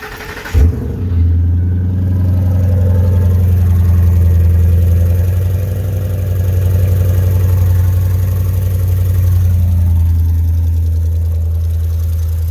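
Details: 2009 Ford F350 5.4 V8 startup with the muffler missing: engine catches and settles into a loud, deep droning idle with an open, raspy exhaust note.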